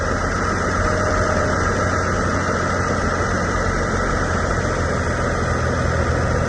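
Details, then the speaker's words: 1999 Acura TL idling after power steering pump replacement, flush and air bleeding: a steady, even idle with no whine or groan, and no fluid bubbles. The old pump was noisy; the new one runs quiet and smooth. "Okay, I'm just gonna start it, and then we're gonna listen to it to see if it's making noise like the other one. You hear that? Clean, smooth."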